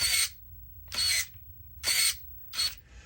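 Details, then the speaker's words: 9imod BLS-HV60MG 60 kg direct-power servo (tested at 14V and 12V), full sweeps under load in a crawler: four short high-pitched grinding whirs about a second apart; noisy gear train, sounds fine unloaded. "So he's a noisy boy, like gear train wise, which leads, if I hadn't just gone through the effort of mounting that up, Like if I had been, well, and you can't test it."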